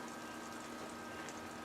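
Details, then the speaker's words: Land Rover 90 (Defender) electric fuel pump running after fitting a new fuel tank, first try on a warm humid day (~27°C), engine not yet started: faint steady whir and hiss, no surging or stutter; normal fuel pump operation. "I've got the waves on the right way around probably not but the pumps working"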